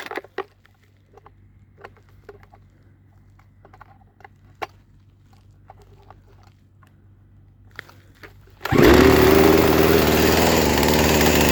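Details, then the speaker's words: Poulan Pro chainsaw, carburetor likely over-tuned by previous owner, idle screw just lowered: after handling clicks it fires into fast, buzzy idle with chain still moving; owner suspects over-tuning causes chain creep. "all right so it seems like the previous owner might be tuning this and and might be playing around with this like way too much that's probably causing that chain to keep on going as you were hearing and stuff"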